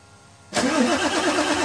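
Starter kicks in abruptly and the engine churns with an even, wavering crank rhythm but never catches; cranking with no start.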